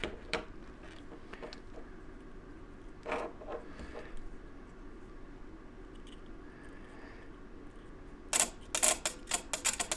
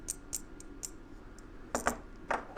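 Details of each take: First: Hot tub heater relay bench-tested by powering its two closer pins from a 9-volt battery: sharp, crisp clicks in a quick irregular burst as the contacts pull in cleanly, a normal relay, while the tub won't heat past 85. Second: Hot tub heater relay, coil powered by a 9-volt battery: small sharp ticks and rattles from loose internal parts of the faulty relay. A good relay is silent.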